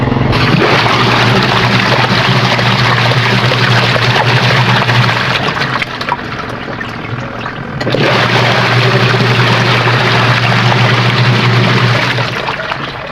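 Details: Sharp ESW15 washing machine after gearbox/gear keys replacement and pulley fitted, test running with water to check for rubbing and leaks; even low motor hum under rushing, sloshing water, no rubbing, scraping or knocking; normal running.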